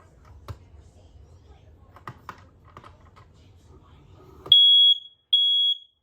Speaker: Here, I'll hold down on this one, see if everything else is going off just fine.